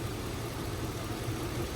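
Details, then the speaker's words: LS-swapped V8 project truck idling after reinstalling its original spark plugs and wires; unplugging coil two makes the idle drop and plugging it back in smooths it out, while unplugging coil four changes nothing; cylinder misfire at idle, coil power check next. "Let's try number two and just see cuz it should change cuz according to this, it's not misfiring. Oh, the clips broke. Yep. You can hear it idle down. Plug it in. Smooths back up."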